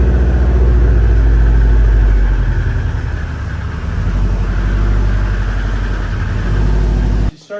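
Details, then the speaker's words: Subaru STI boxer engine: steady idle rumble with an uneven knock about four a second; source unknown, power steering pump suspected. "So I'm gonna start this thing up, pull it into the garage, and we're gonna try to see what this knocking noise is, because I still can't figure it out."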